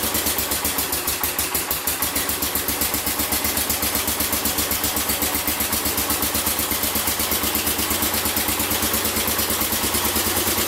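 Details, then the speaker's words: Massey Ferguson 14 garden tractor, Kohler K321 engine, after carburetor repair: small single thumps at an even beat, about four firings a second, no pops; earlier backfires and exhaust flames gone, normal running. "no more backfires it was backfire to the curb back front of the exhaust flames with the exhaust so she is ready to go"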